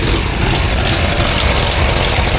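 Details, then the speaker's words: 1960 Chevrolet Impala, 350 V8, 4-speed manual, dual exhaust with Flowmaster-style mufflers, idling with engine temperature on the low side: a sharp puffing tick over the rumble from an exhaust leak on the driver side, less on the passenger side. "got yourself an exhaust leak there that's the noise"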